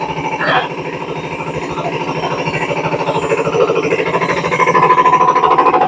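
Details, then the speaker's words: Samsung 7 kg front-load washer, noisy during spin even without load: heavy rhythmic thumping about three times a second growing louder as spin speed rises; drum shaft found broken. "yes dear friends it is problem with the Shar it is already broken here Shar already broken because of that only making noise"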